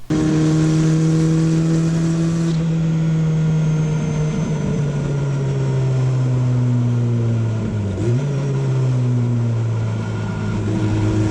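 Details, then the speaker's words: Turbocharged Goblin race car at high revs, full throttle on track at Black Hawk Farms, never ran right since the turbo swap: uneven drone, pitch wavering and stumbling, shooting fire and black smoke; misfiring, cause later found. "As you can see, it's shooting fire, bunch of black smoke, just not running great."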